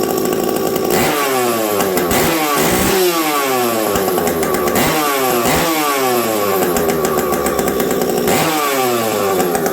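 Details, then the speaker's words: Husqvarna 372XP chainsaw fitted with a UFO exhaust pipe, running in very cold weather. Revs up and down in repeated blips and hesitates briefly coming off idle; the low-speed jet is set slightly lean, not a pipe issue. "my low jet was a little low there you guys could hear that little stumble not not anything to do with pipe"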